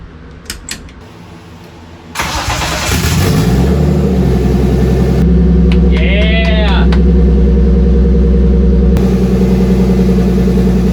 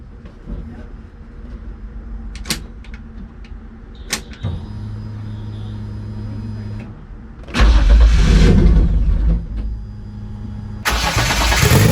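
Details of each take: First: Turbo BMW E30 on E85, second start attempt after uploading a new fueling table: short crank, catches and settles into a smooth even idle, no misses or hunting; oil pressure good, idle holding. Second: Turbo BMW E30 on E85, first start after ECU install with only injector data and required fuel changed: rough, unsteady idle sagging between throttle blips, held up on gas; leans out and won't hold idle.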